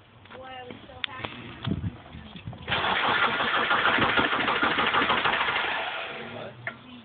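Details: Stock 1998 Subaru Impreza RS, 228,000 miles, sat for 3 years: steady starter churning about three beats a second for several seconds without the engine catching; cranks but won't start.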